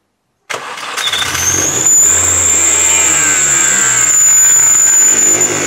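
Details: Mini Cooper S R53 after rebuilt Eaton M45 supercharger refit, first start: fast idle with thin steady high whistle, seeming to come from the front near the supercharger; suspected air leak, unconfirmed.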